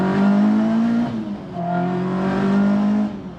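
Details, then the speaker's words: ST170-powered Mk1 Escort, warm, after reconnecting number 4 HT lead left unplugged (had been running on 3 cylinders): revs climb and fall smoothly, even note, all four cylinders firing. Normal running. "And yesterday when I was messing about, I forgot to plug number 4 HT lead back in, so yeah, she should run a lot better now."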